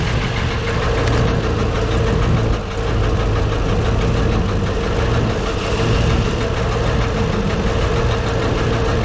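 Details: Deep, fairly regular internal knock under a lumpy idle, valve cover off. Valves partly dry but moving. Owner suspects the cam or a valve near #4. Penetrant tried; source unconfirmed.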